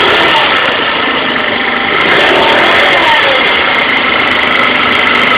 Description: 2012 Tao Tao ATM-50A scooter sounds like a family of squirrels is fighting. I thought it was in the belt housing, but I am beginning to beleive it is coming from the rear tire/brake area.